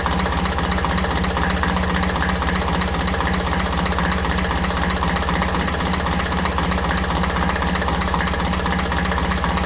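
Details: 1954 Ferguson 20 TEF diesel after diaphragm housing adjustment on the rear of the fuel pump: steady, even tickover at about four firing pulses a second, no hunting; idle settled and healthy.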